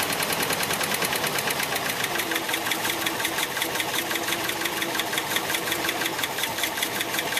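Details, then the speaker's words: Engine idling before a compression test: uneven stumbling idle with a light ticking pulse and wavering note, barely holding idle; rough idle, cause not yet found. "all right so you can hear how rough that sounded um and it'll hold idle just really bad"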